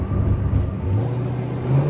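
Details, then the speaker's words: 1974 Buick Century Luxus, 350 V8 with a two-barrel carburetor, 64,000 original miles, under hard acceleration while driving. Deep, steady V8 roar rising smoothly in pitch, no knocks, misses or rattles; normal acceleration. "Can you believe that's two barrels? And that's 350. That's crazy. These cars produce less than 200 horse. And it just sounds amazing."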